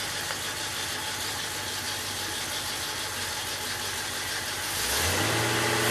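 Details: 1967 Oldsmobile 442 original 400 V8, rebuilt with new rod and main bearings and rings, running on engine stand, about 180 psi compression, good oil pressure, radiator getting a little hot; steady even idle climbing smoothly in revs, no knocking or tapping; normal after rebuild.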